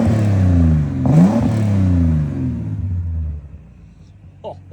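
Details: 1969 Holden HT Premier, first start after sitting, in neutral: engine catches and runs, then revs freely, rising and falling cleanly, and settles into a steady, even idle with no knocks. Back from the dead, running normally.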